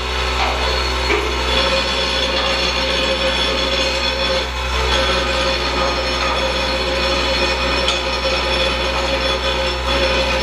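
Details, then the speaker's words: Standard (superior) vibratory feeder bowl running with parts: a loud, steady mains-rate buzz that gets faster and louder as the springs are cranked down, showing the bowl is under-tuned. It is being brought near its correct tuning. "getting tight you can hear that faster and faster it's under tuned the reason we know it's under tuned because as we crank it down and speeding up here getting louder"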